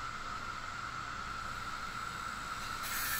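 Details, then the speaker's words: Wii U disc drive that ground and rejected discs: with the clamp/yoke arm tightened it shifts off-centre, and the spinning disc gives a steady high whir with a scratchy rub; loosening it runs smooth; disc rub from the misaligned clamp arm. "okay my guess is was tighten it down there it shift a little often for its center so when I tighten up a little ways here to kinda hold it in place a little noise a little rub it's back"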